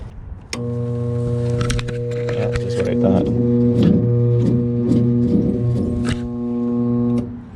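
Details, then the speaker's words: Second gas-electric rooftop unit, same model, no-heat complaint, heat called for test: loud steady hum with irregular rattling clatter; another bad draft inducer motor, to be replaced. "yeah it's another draft motor that went bad I could tell just do the test"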